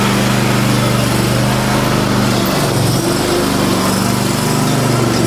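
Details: Cub Cadet M60 Tank mower on its test run after a fuel filter change, carb air port cleanout and spark plug service (it previously stalled after about 30 minutes): small petrol engine holds a steady, even drone with no surging or stumbling.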